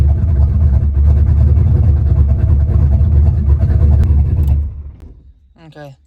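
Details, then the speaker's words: Small-block Ford turbo 383 V8 after new rocker arm install fixing a metal-on-metal tapping, timing not yet set, slight exhaust leaks: deep even rumble at steady fast idle with no tapping, then shuts off; healthy. "the tapping is gone it was like a metal on metal tap so I'm happy with it"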